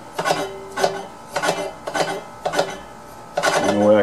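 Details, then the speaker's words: Tru-Cut reel mower being set up for blade lapping, reel turned by hand: crisp metallic clacks about every half second as reel strikes bedknife on its tight side; reel knocking against bedknife. "it it's still knocking here today"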